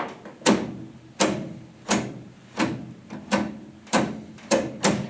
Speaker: There goes reverse, neutral, drive, second gear, first gear, back up again. You can hear the detents.